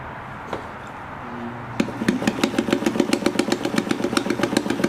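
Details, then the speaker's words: Necchi BU class 15 zigzag sewing machine, hook set for size 14 and smaller, stitch testing with a size 16 needle: sharp metallic tick on every stitch, about four a second; oversized needle striking the hook. "oh that's a 16 so no wonder it sounds like that's a massive needle it's a 16 those are huge"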